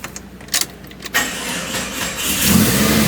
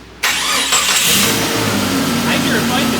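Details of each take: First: 1999 Jeep Cherokee with freshly rebuilt engine: short sluggish crank for about a second, then it catches and revs up; battery a little dead, injectors audible over a good-running motor. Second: Jeep Cherokee with freshly rebuilt engine, transmission and transfer case just swapped in during front-axle 4WD conversion: quick crisp crank catches almost immediately and settles into an even idle; starter engages cleanly and sounds healthy.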